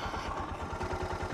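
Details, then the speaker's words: Suzuki DR650 single at about 7,000 ft elevation, pulled over to adjust idle: slow, lazy, uneven thumps, idle sits low until the idle screw is turned in and it bumps up; low idle. "We'll listen for the idle. Hear that? It just bumped up. I'm screwing it in."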